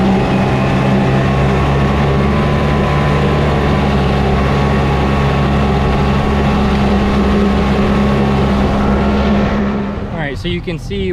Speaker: once you start tilting the motor you can hear the rpm ch